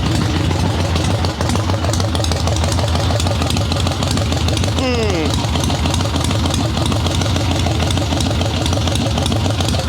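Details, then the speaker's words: Harley-Davidson Ironhead Sportster chopper with Mikuni VM38 carb, warm restart after checking fuel level; loose, steady lumpy V-twin idle without misfires, starting as it should when warm; normal warm idle, idle tuning still pending. "That's how it should start when it's warm, so that's good at least."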